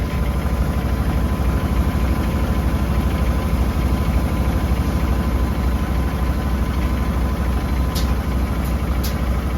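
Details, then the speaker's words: Whirlpool Duet HT front-load washer on spin before repair: heavy rhythmic thumping rumble about three beats a second, drum shaking violently; diagnosed as worn-out shock absorbers, replaced with W10739670 set of four. "So here it is in action. Shaking pretty good."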